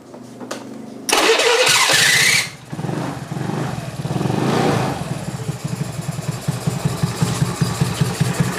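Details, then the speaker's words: Honda Beat carbureted scooter with high fuel consumption and abnormal idle; after starting, the engine idles with an uneven panting hiss from the carburettor because the automatic choke in the coil no longer works. "Dan ini menimbulkan gejala boros ya. Seperti kita lihat tadi dan kita dengar tadi, terdengar bunyi kos-hosan ya, teman-teman."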